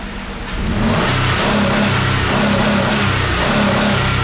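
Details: 2005 Ford Escape 3.0L constantly misfiring with check engine light on, engine shaking after codes cleared (P0352, P0354 return); revs with an uneven, lumpy, stumbling beat of a dead cylinder; PCM driver for the ignition coil failed, plugs and coils already replaced.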